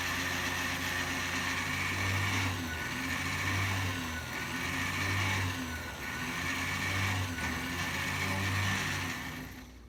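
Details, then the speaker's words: Small sewing machine motor, pedal operated, drilling a model locomotive boiler held in a jig; steady whir sagging slightly every second or so as the bit bites, normal loading, nothing wrong. "you can hear the little sewing machine motor bogg down a little bit as I'm drilling"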